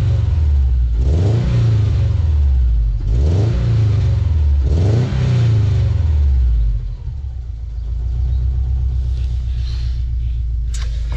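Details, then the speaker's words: Cheap 1.5 L Subaru flat-four: revs up and down three times with a lumpy, uneven burble that stays rough back at idle, and it smokes a lot; the owner wonders whether it is running on three cylinders. "est-ce que c'est parce qu'il tourne sur trois pattes ou est-ce que c'est vraiment parce qu'il fait ce bruit"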